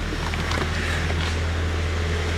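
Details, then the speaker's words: Bone-stock Nissan S14 SR20 with 140,000 km: low, even idle hum with soft clutch-fan whoosh, very quiet, no knocks or misses; normal healthy idle. "like listen do it it's just the clutch fan you can hear it's so quiet what the heck s14s are the best"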